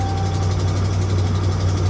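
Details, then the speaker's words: 2013 RAM 2500 HD, ex-police, 5.7 Hemi, 142,000 miles, check engine light on: deep, steady V8 idle with a faint, quick tick on top; a slight exhaust leak is suspected, possibly the donut gasket. "I hear a slight exhaust leak sounds like it might be a donut gasket"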